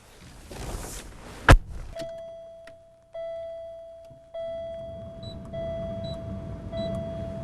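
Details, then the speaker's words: Mid-1990s Buick Park Avenue HVAC: a steady mid-pitched whistle each time the system comes off full hot. The passenger temperature mix valve lifts off its seat unevenly for a moment when commanded open. "in full hot the passenger temperature mix valve is closed when the command comes down the line to open the valve the passenger temperature mix valve may come off its seat unevenly momentarily causing a whistle noise"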